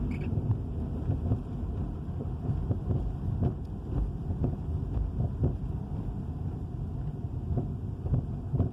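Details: 2013 Dodge Charger Hemi V8 at idle: irregular sharp knocks and rattles over a low rumbling idle; owner does not know the cause.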